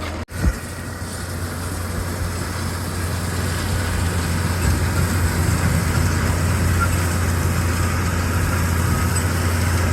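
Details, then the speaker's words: Tractor and baler: steady even drone with no knock or clunk; earlier clunk gone, running smooth and quiet. "I don't hear that clunk anymore. Sounds nice and quiet."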